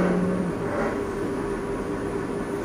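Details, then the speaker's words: Hotel laundry roll ironing machine after removing jammed sheet and replacing broken ribbon belts: even, steady hum with constant low rumble, no knocking or scraping; running normally. "Oke jika sudah dipasang kita coba hidupkan di sini saya peran dulu saya hidupkan Oke sudah Ran"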